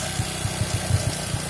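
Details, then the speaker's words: Honda Supra X 125 after running out of engine oil, engine blipped: low uneven thumping with irregular knocks, smooth at steady idle but rough when revved; rocker arm or loose valve clearance suspected. "Untuk bunyinya cukup kasar. Kalau gas stasioner itu bunyinya lembut. Kalau sekali digas bunyinya kasar."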